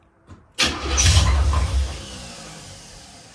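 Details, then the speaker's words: Box Chevy Caprice SBC Vortec 350 (700R4): a quick crank, then the V8 catches right away and settles toward idle with no starter grinding. A clean normal start with no more screeching. "Still kind of crazy. It start right up. No more screeching."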